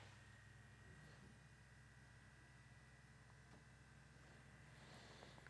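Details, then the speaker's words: PlayStation 1 drive after spindle motor hub adjustment, disc spinning: quiet, even low hum with a faint steady whine and no rubbing, then a long spin-down. Normal healthy disc spin after repair. "beautiful it also takes quite a bit longer to come to to a complete stop which is exactly what you want to see"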